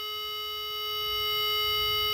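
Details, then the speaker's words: Intelbras Conecta PBX with no extension dial tone, probe on flip-flop terminal 2: clean, steady tone around 420 Hz, halved from the input, with no wavering; normal divided tone. "Sair no terminal 2. Viu que mudou? Caiu pela metade."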